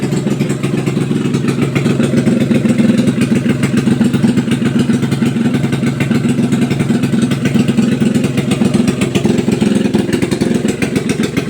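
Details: Test run of a freshly overhauled small single-cylinder motorcycle (tagged XRM125, drag bike). Fast, even beat with a little light mechanical chatter and no knocking. Sounds healthy after the overhaul.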